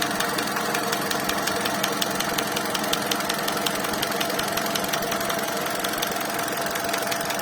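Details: 2019 Hyundai Accent (Solaris) at idle: a sharp, regular metallic ticking over the idle at a fairly steady rate. This is engine knock whose source is still to be traced.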